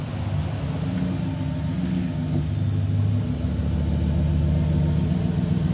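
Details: 2012 Ford F-150 FX4 crew cab with crank-no-start fixed by replacing fuse 27, fuel pump relay: steady even low rumble, smooth unbroken idle with no misses or knocks, running healthy.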